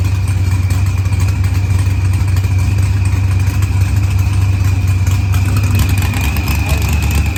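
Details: Green Challenger with a supercharged LS swap, idling after a head gasket repair, with timing locked at 30° for a timing check. Deep steady V8 idle, even lope, faint high whine, no knocks or misses; healthy.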